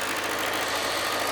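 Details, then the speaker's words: Cold start idle on choke of a 2007 Kawasaki ZZR600, carbureted DOHC inline four-cylinder, revived after being dropped. Steady, even, slightly raised idle with no knocks or ticks; choke is pulled down, and it is not revved until warm. Normal cold idle. "Means you gotta pull the choke down, but we're not there yet. There we go. Bring the choke down. And I like to wait till there's temperature to rev this thing."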